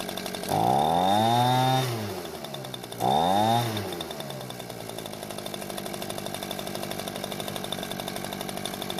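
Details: Echo two-stroke leaf blower that would not start after storage, after repair of its fuel-leaking carburetor: it revs sharply twice, then settles into a steady, even idle. It runs fine, with no leak.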